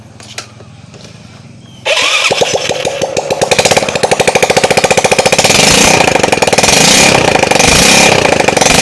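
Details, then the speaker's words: Yamaha Mio Soul carburetor scooter after piston ring replacement to cure white smoke, exhaust off: small single fires up into loud, rapid, even popping with no knocks or misses; no longer smoking, blue seen is flame, normal running. "Itu motornya sudah tidak berasap lagi"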